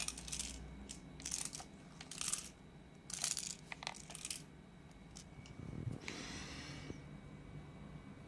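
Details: Microlab T1 speaker, second unit with same defect: short bursts of loose, tinny rattling about once a second as the unit is shaken, indicating something loose inside.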